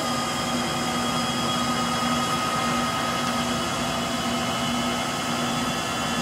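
Steady droning hum with a faint whine riding over a rough, rushing roar through the spin, typical of worn motor bearings.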